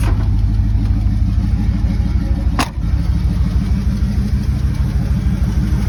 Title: Don’t worry about the ticking sound